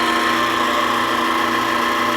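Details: Sap-house vacuum pump and motor after redesigning the mounting plate to line up the coupling: a steady, even motor hum with a smooth vane-pump whir, much quieter with no vibration, vacuum building to almost 19 inches.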